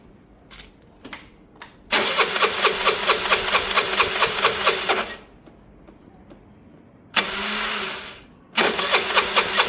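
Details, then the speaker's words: Piaggio Fly 125cc scooter, cold start: several short catches, a brief run that dies, then a long crank before it fires and putters on. It is reluctant to start, possibly due to a low battery; cause unconfirmed. "Um, it didn't fire well, but it had a low battery, didn't it?"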